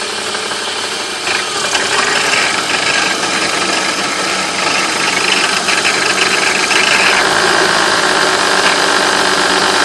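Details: '95 BMW 325is E36 M50 engine idling warm below ~1000 rpm with a dry, teeth-chattering rattle, only heard once warmed up; owner wonders about VANOS, cause unclear.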